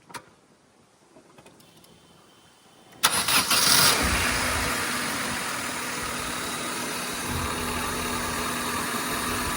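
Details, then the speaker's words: Honda Civic, first start with a newly fitted intake: brief starter whir, engine catches cleanly and settles into a steady idle with a loud intake sucking hiss; starts and runs fine. "Oh, you can hear it. You can definitely hear it sucking."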